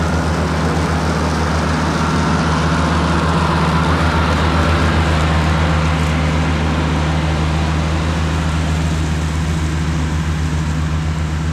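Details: Cushman diesel front-deck mower, bought with a supposedly bad hydraulic pump, tires re-aired, mowing the yard: deep, even diesel drone at constant pitch under load, no knocks, surges or rattles; it mows nicely.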